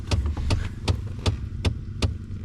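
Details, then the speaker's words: 2014 Ford F-150 EcoBoost FX2, battery reconnected: sharp, even clicks about every 0.38 seconds over a low hum under the dash. A failing blend door actuator, the lower one, was seen moving back and forth and needs replacing. "You can actually see this one moving back and forth. That's the one that needs to be replaced."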